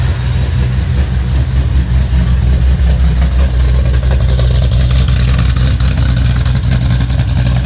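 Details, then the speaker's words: Foose/GT500 supercharged V8 just completed and started on the earlier tune that idles; even low rumble holding steady at idle with no knocks, ticks or misses; oil burn-off mostly cleared, sounds healthy, tune still to be dialed in. "But she is sounding good and she does sound healthy. So I think we are hopefully good to go now."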